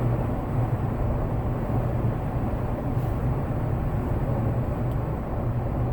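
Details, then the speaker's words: Jeep JL with Bestop Sunrider fabric top at about 58 mph after massaging windshield-frame top seal and loosening/retightening door rails: steady even wind rush and road rumble, no flapping or whistling; much improved, seals sitting properly. "So now I'm going to slow back down to 55, and as you can tell, it's a whole lot better than it was. You know, I don't expect it to be perfect because it's a fabric top, you know, and these things have some noise to them."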